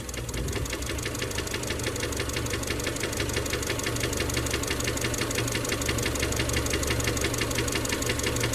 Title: EJ253 Engine Noise middle Possible Rod knock